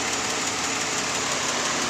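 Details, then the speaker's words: 2004 Nissan Maxima 3.5 VQ V6, warm after about an hour, idling with the hood open, cooling fan roaring. Light, quick ticking from the upper valve train, owner suspects lifters or valve tap. Timing chains and tensioners were replaced three weeks earlier, which cured the earlier rattle. "that's the sound I'm getting at idle the car's warmed it's been run uh for an hour or so now the um fans off you can hear it to me it sounds like it's the upper valve train whether it's the uh lifters or valve"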